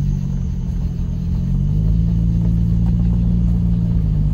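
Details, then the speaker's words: 2004 Toyota Camry after the replacement transmission swap, road test pulling away: the low engine drone drops smoothly as the 1-2 upshift goes in crisply, with no clunk, slip or flare. "oh they went in the second very crisply too"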